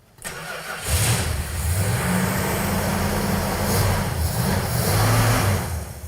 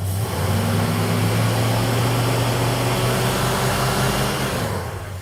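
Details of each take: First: Road Runner V8 after budget power upgrades including a new Holley carburetor: catches after a short crank and settles into a steady, even burble with no miss or knock; runs perfect. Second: Road Runner V8 with points ignition revving with a dull, lazy, slightly rough note; timing light shows only 20° total ignition advance, far too little, to be increased, after which it smooths out.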